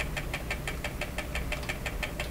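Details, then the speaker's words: Clairtone console stereo record changer at high speed: steady rhythmic clicking about six times a second over low rumble, unit then turned itself off; clicking suspected related to the problem, unconfirmed. "you think that clicking has something to do with what the problem is actually turned itself off"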